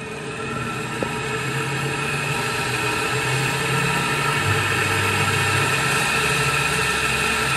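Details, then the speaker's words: LG WP-1650ROT twin-tub washer after repair of a spin tub that banged loudly and wobbled: empty spin tub now runs a steady even whir, no banging; stable and balanced. "แปลว่าไม่แกว่งแล้วนะครับค่อนข้างมั่นคงเลยครับ"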